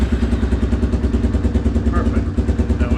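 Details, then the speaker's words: Yamaha Big Bear 350 single-cylinder ATV idling evenly at about three beats a second with a low rumble after throttle cable and mechanism replacement; runs fine, normal idle. "this runs apart so there we go that part of the job is done"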